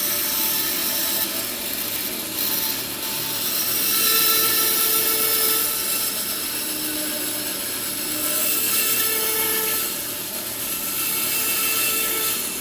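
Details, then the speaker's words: Bandsaw cutting a tight radius in redwood for a gate latch: cutting noise with a wavering high ringing tone that rises and fades as the blade twists in the cut and whines; blade whine from twisting. "If you're new to the bandsaw, making these tight radiuses just takes a little patience and continuous feeding of the blade without making it twist too much so that the blade starts to whine. And you hear that as I'm cutting sometimes also."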